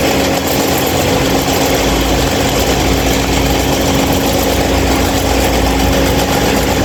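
Constant loud rushing with a steady low hum that never changes speed; the fan is running unusually noisy, cause unclear.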